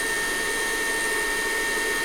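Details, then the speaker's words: Tabletop German micro drill, after fitting a fused round belt, oiling its bronze bearing oiler cups and fitting new ball bearings: steady, even hum with a clean high tone, no rumble, knock or grinding; runs smooth. "here I'll turn it on just to show that it's fully functional and sounds great it's smooth we also put new ball bearings in"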